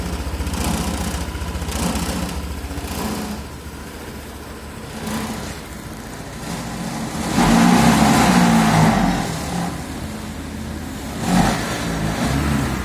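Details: Honda PCX150 single-cylinder idling steadily then rising and falling with throttle blips, running evenly without knock or rattle after the clogged catalytic-converter exhaust was replaced and compression retested; normal running.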